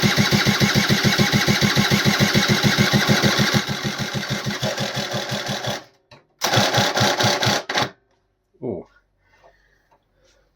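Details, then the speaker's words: AF18e engine swapped into an AF09 scooter: even chugging about three beats a second that slows, cuts out and restarts before stopping; starter engages badly and locks up, owner suspects he damaged something in the starter motor. "that doesn't sound good. Right. I think I uh I've messed up something in here because when I spin this I think it spins engages that way and I don't think that's and it just locks up. So I think it's something to do with the start motor there."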